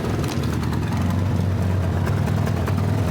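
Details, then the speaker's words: 1975 Toyota Corolla KE35, heard from underneath with the car jacked up: heavy, blatting low rumble with sharp puffs on each firing pulse; loud exhaust blow thought to be midway along the system, a leak from a cracked exhaust pipe. "I mean you it it sounds like it's down here like that sounds bloody terrible but it shouldn't sound like that."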